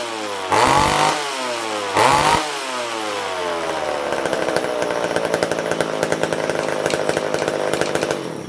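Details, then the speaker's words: Old vintage McCulloch chainsaw, not run in a long while, restarted after sitting: two revs, then busy idle with quick uneven metallic chatter; owner suspects the clutch hitting the clutch cover is the rattle's culprit. "that's why we got something on this GL cover rattling around maybe it's just a clutch hting the clutch cover I think it's culprit"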